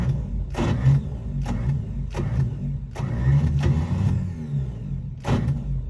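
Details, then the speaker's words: 1955 Chevy V8 cranks steadily but never fires or backfires, crank no start; long-sitting high-school car being revived, ignition timing far out. "well i didn't hear it backfiring or sound like it was backfired i really didn't hear firing at all"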